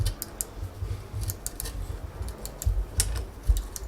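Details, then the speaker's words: Cheap Amazon mountain bike air shock, worn out, being disassembled: quick irregular light clicks, a few per second, as the top is unthreaded by hand; just the rebound adjuster knob's detent click wheel, normal. "It's funny, I can actually hear the click wheel"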